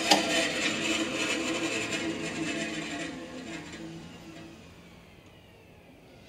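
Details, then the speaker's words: Bench band saw after vibration and rattle adjustments, with damping cushion fitted to keep vibration off the table; noise down about 20 dB. It hums smoothly with a soft high whir, no chatter, then winds down quietly. "ビビリ音や振動音を最大限止めてみました。20デシベルほど音が下がりました。"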